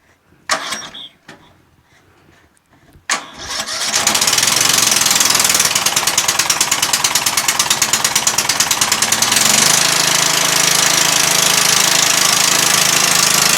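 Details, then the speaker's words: Murray 14.5 42-inch lawn tractor after a cleaned gas tank, new battery and reconnected fuel line, fresh gas: a couple of cranks, then the single fires and settles into a steady, even run with no misses, no smoke and no leaks; normal start and idle. "how about that huh runs good no smoke no smoke yet this is idle all the way down"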